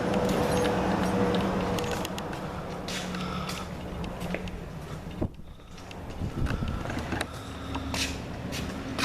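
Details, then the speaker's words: 1992 Ford Mustang 5.0 V8, cold, run about 1-2 minutes after a temporary fix for a sloppy distributor pickup. Rough idle with an uneven light knocking a few times a second; cold piston knock that goes away once warm. "This motor's got piston knock too. Yeah, see, I've already had it running for about a minute, maybe 2 minutes. As soon as it warms up, the piston knock goes right away in this motor."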